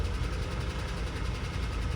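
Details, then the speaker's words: 1988 truck at dealer auction, possibly a 318 V8 or a six, just cranked up in heat: rapid light ticking over deep steady idle rumble, a clatter that often goes away once oil reaches the lifters. "you kind of got a clatter out there a lot of times the clatter will go away once the oil you know gets those lifters"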